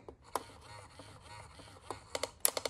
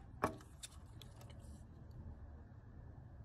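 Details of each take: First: Restored Bubba Fish animatronic with LML mouth mechanism: a soft mechanical whir, then five or six sharp plastic clicks. The mouth still clicks after the fix, though less than before. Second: Bubba fish/largemouth lure animatronic with heavily greased mouth gear mechanism (gear missing about five teeth), skin and speaker wire off: soft even whirring, no clicking, runs smooth and quiet.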